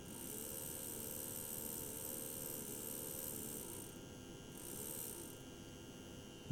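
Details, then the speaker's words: PIKO BR62 model locomotive motor-gearbox unit at slow speed, roughly 3–4 V from the transformer: rough, rasping whirr over the transformer's mains hum; owner suspects missing lubrication and a poor motor, doubts grease alone will fix it. "ich mache jetzt mal mein trufo an so ich habe jetzt mal langsame Geschwindigkeit also weiß nicht wie viel wollt das jetzt sind aber 3 4 Volt vielleicht ich hoffe das hört mal und überdönt bisschen das Brummen von meinem tro"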